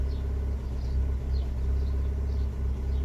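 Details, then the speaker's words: Fiat 500 with cylinder 4 and random multiple misfire codes, codes cleared but still misfiring: rough, lumpy idle with a low rumble stumbling every half second; fixed by replacing the ignition coil unit. "car's misfiring, which is not great."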